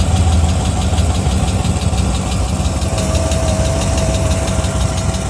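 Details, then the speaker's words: GM 6.2L direct-injection V8 with only 2,500 miles idles with light metallic ticking, metal-on-metal sounding; it could be normal direct-injection noise or early internal wear that grows loud fast, so the cause is unconfirmed. "sounds awfully metallic-y for only having 2,500 miles on it. Sometimes direct injection sounds that way, but usually you can tell if you've heard enough of these, little bit of metal on metal, and it starts that way, and then it ends up getting really loud really fast."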